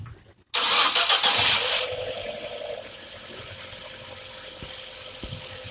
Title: Linea TJet : screeching noise from right side on cold start